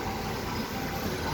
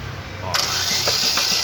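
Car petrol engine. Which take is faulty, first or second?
second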